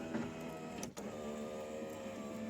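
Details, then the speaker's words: 1994–2004 Ford Mustang power window going up: steady motor whine with sharp pops as the regulator gears grind and slip because they are misadjusted; the window rolls down fine and the motor is good. "once you, as you can see, the gears are grinding right there because it's not adjusted right."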